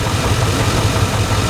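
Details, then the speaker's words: Chevy Tahoe hot-wired and running: lumpy idle with a dull, regular thump over low rumble, engine knock of unknown origin. "i got the coral tahoe running i don't know if you can hear the knock poor thing"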